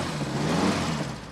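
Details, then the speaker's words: 1969 Dodge Charger with factory V8 that previously turned over but would not fire, first start after repair: engine picks up cleanly and holds a steady smooth rev before easing off, no stumble; running healthy. "That sounds great. Amazing. It's very hard to describe how I'm feeling right now."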